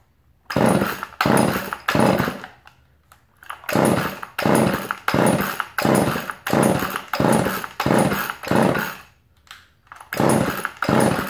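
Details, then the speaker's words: Chainsaw pulled about a dozen times after a spark check, catching weakly on each pull but not running; it was already a little flooded and the choke being on flooded it further. "It was a little flooded from before. Put the choke on it. Now she's all flooded."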